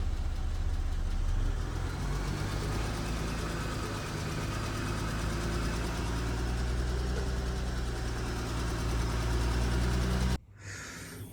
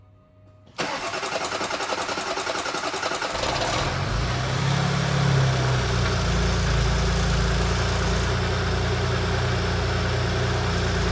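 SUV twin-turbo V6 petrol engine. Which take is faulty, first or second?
first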